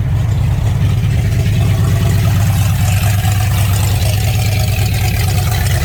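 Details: Ford Mustang Fox Body V8 running. A deep, loud, raw rumbling idle comes from an exhaust connection underneath that is not yet welded and is leaking. It still needs to go to an exhaust shop.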